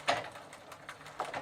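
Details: Sturmey-Archer 3-speed hub on a Gazelle bicycle, after soaking with WD-40, with the shifter in third position: soft, light ticks in small irregular groups as the wheel turns. The pawls are engaging normally again.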